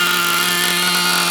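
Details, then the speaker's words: New TNS-modified Novarossi .28 nitro engine on first fire, break-in tank run deliberately rich: steady high-pitched buzzing drone with a soft, slightly burbly edge at even speed. "Rich as hell, fat, nice and fat."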